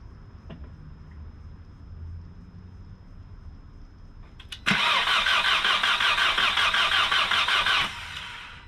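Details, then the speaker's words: Freshly rebuilt Mark IV engine, prime cranking before first start with ignition disabled, high-zinc break-in oil: steady, even cranking about 160 rpm for three seconds with no firing; normal oil priming, battery charged. "job good job that's three two more times and then we're gonna fire it up"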